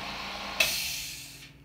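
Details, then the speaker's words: New compressor with 8-gallon tank, first run just unboxed (wheels not yet fitted): motor hum cuts off, then a short sharp hiss as the unloader (air release valve) bleeds head pressure, releasing normally. "you can hear that little blow off pressure and here's your airless release Vale"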